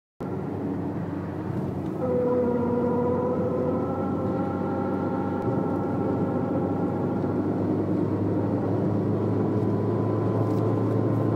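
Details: Citroën Saxo at a certain highway speed under throttle: a droning, slightly rising hum from the front over road noise; worn left drive shaft, fixed by replacing it.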